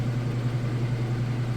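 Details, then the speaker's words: Kenmore direct drive top-load washer at full speed on spin cycle; smooth steady low hum, no thumping or wobble, hardly any vibration; normal spin. "all right we're at full speed on the spin cycle now what I'm gonna do is lift this lid up and show you that everything's spinning nice and fast"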